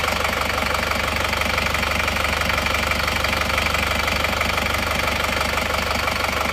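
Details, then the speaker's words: Isuzu Panther Touring diesel from Karang Ploso after engine teardown for blow-by (ngobos), with a defective liner found and the block honed cylindrical: steady, even diesel clatter at idle, about four beats a second, no misses or knocks; blow-by cured, runs healthy. "kondisi mesin Panter plat dari Karang Ploso Ini sementara sudah Hidup"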